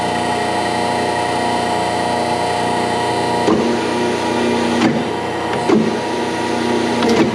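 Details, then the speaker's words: Dennison Multipress hydraulic press bending a 2x4: steady pump hum with high whine, then the wood cracks and creaks under the ram; press pushes strongly, normal operation. "ouais ça a un peu de puissance wow wow il a juste plié ce 2x4 comme si ce n'était rien"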